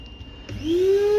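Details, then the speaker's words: Kiwi coffee and spice grinder after cleaning rusted motor bearings near the blades with WD-40 cleaning spray: motor spins up in under a second to a clean, steady high whine with no rattle or grinding. "Artık pervanem rahat bir şekilde dönüyor"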